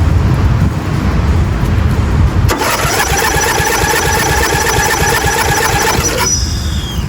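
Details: 1997 Murray 30575X31A lawnmower, engine un-seized with spark confirmed, head refitted missing two broken bolts so compression reduced; steady starter churning with thin whine, engine turns over but won't fire; cause not confirmed.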